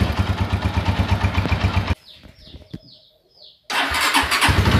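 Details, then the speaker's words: Honda Tiger motorcycle with an engine previously taken down and rebuilt: coarse, lumpy single-cylinder beat that briefly drops out, harsh and vibrating when revved, sounding like piston slap; piston or connecting rod damage suspected. "oke lele dan si motor ini itu kalau digas kesel banget lebar bunyi para seperti suaranya loya Cu parahnya itu suaranya itu seperti piston leplex persis banget"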